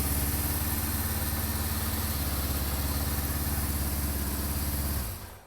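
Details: Honda CB550 with timing, cam chain and valves already set, idling before carburetor sync; gauges show all carbs different, tach broken: low idle pulsing unevenly at about three and a half beats a second, then shutting off; carbs out of sync.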